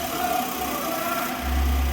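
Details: Maruti A-Star after repairing cylinder 1 misfire (P0301) from loose spark plug and damaged ignition coil: smooth, even idle with slight rev lift, no stumble; firing on all cylinders.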